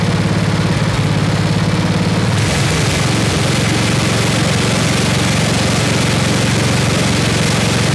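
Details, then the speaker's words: 1979 Toro 826 snowblower, 8 hp Briggs & Stratton, freezing cold: rod moved from idle, chug jumps to higher even speed after about two seconds and holds smoothly; runs healthy. "all right that's awesome we got it will it run and yes it does this thing's awesome"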